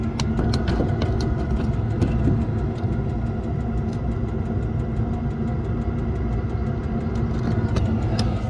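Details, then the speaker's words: Range Rover L405 fuel-fired booster heater, camera held under the vehicle: quick, even ticks three or four a second over a low idle rumble, the dosing pump pulsing fuel normally. "yeah you can definitely hear it ticking like a a rapid ticking noise it's just basically a pulse of a pump it's pumping fuel into the the fuel bming heater"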